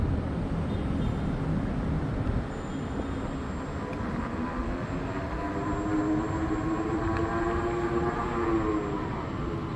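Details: New Extreme Bull (Begode) Rocket electric unicycle, 13.5 km ridden, previously grinding above 25 km/h; ridden at 25 km/h or more after firmware update Rocket_JN1525001: road rush with a faint even hum rising slightly with speed, no grinding. Normal running.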